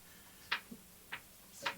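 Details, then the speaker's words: 1974 Norton Commando gearbox, dismantled to diagnose a clunk on kickover and in gear: sharp metallic ticks about every 0.6 seconds as it is turned forwards by hand. "while we're going forwards, it ticks."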